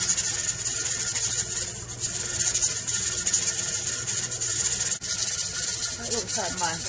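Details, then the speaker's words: Pressure canner of potatoes on a gas stove settling at about 12 lb for a 40-minute process; steady hiss with soft continuous rocking chatter from the weight; normal operation. "yes we need to listen to that noise for the next 40 minutes"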